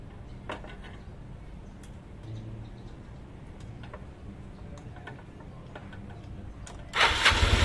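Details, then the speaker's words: Old Yamaha Mio scooter, hard to start when cold, after valve clearance set slightly loose at top dead centre: quiet for several seconds, then the engine catches quickly and runs evenly; carburettor still to be tuned. "Oke, akhirnya nyerah juga nih motor ya. Akhirnya motor itu nyala dan tinggal setting karbu."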